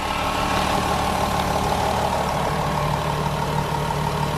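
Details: Golf 4 VR6 2.8 litre after timing chain replacement with engine installed, previously noisy chain: steady, even idle with smooth low hum and no ticking or rattle on top; healthy, quiet engine.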